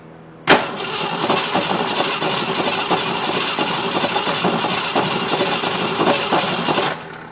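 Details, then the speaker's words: Gremlin with a swapped-in, unknown 290 V-8 from a 1968 Javelin with points ignition: even starter cranking for seven seconds that never catches. Still no spark after reinstalling the old points; a different used set later gave spark. "Nope, still no spark."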